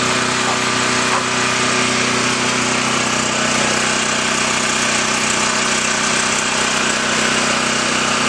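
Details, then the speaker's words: New portable camping generator, fresh oil, just started on first pull with choke: steady even engine drone with constant buzz, no knocks or misses; normal idle. "okay as you saw it started with the first pull once I remember to turn the switch on"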